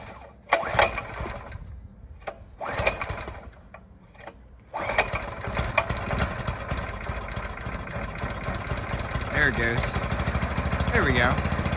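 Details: Vintage 1960s minibike with a Honda 6.5hp engine, revived after sitting 20+ years, started with fuel and choke on. A few short pulls, then it catches near five seconds and settles into a steady, quick, even putter; running normally.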